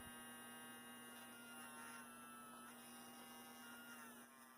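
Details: Athearn Blue Box F45 model locomotive, 280 motor on bench clips after bearing oiling with two dots: steady, smooth electric hum at constant pitch, no scraping or squeal. Current draw dropped slightly and it runs quieter; healthy.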